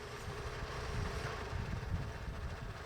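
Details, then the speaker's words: 2004 Toyota Tacoma 4-cylinder petrol idling low, about 600-700 rpm, slightly uneven with a deep lumpy rumble; base idle throttle stop is misadjusted, vacuum source suspect, before idle air control valve replacement. "should be our base idle we're you know we're pulled back it is definitely miss adjusted"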